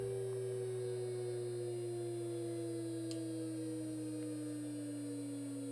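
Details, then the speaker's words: DIY linear motor under power with loose, uncovered coils getting warm, aluminum secondary levitating: strong steady whine sagging in pitch over a low hum, caused by the coils vibrating. "okay so that whining you heard um that was the coils vibrating"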